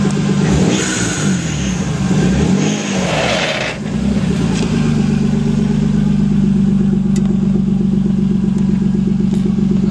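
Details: Toyota Supra after a small launch at the track: revs rise and fall, then a settled idle with a quick uneven ticking over the exhaust drone; abnormal noise, cause not found.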